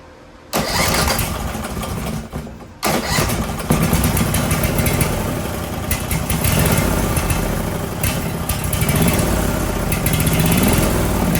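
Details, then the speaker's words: Briggs & Stratton 18 HP Vanguard: catches after a couple of cranks and settles into a steady, even beat with no misses or knocks, with the choke held open and the throttle actuated properly. It runs great. "So as soon as I did the combination of holding the choke open and actuating the throttle, she ran great."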